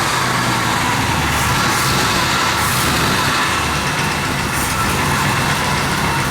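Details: One-owner 1966 Ford Galaxie 500 XL, 428 V8, 4-speed, first running after 30-31 years sitting: steady, even V8 under a loud hiss, no knocks or misses; sounds healthy, normal running.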